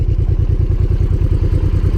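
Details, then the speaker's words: Honda VTX 1800 fuel-injected V-twin, stock exhaust, warming up after new spark plugs: deep, even thump at about six beats a second, RPM steadily dropping, no misses or clatter; healthy warm-up idle. "the RPM is dropping a bit. It's dropping and dropping. I just want to hear if the engine is working fine without any detonation."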